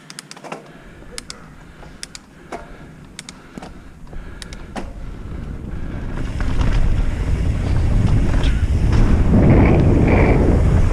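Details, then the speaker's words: Carbon mountain bike after fixing internal cables that rattled inside the frame: on the trail, tyre rumble with only a few faint ticks of occasional cable slap from two loose cables, no frame rattle; much quieter than before. "so much quieter now and you might be thinking that these trails are smoother but they're really not any smoother than the other one"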